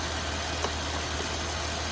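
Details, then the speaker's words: Dodge Ram 1500 that broke down at work, check engine light on: even, steady idle with no stumble or skipped beats, so no misfire is audible. Owner suspects the fuel filter; cause not confirmed. "you got a check engine light on so to me honest I'm thinking it could be possibly the fuel filter because I just don't it just don't sound like a a misfire"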